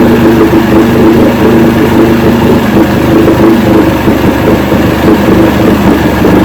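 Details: 1970 85hp Evinrude two-stroke outboard with hydroelectric shift, 50 years old, new water pump impeller fitted, run in a water container after shifting forward and reverse: steady even low burble, no misses or knocks; carburetors judged good at idle.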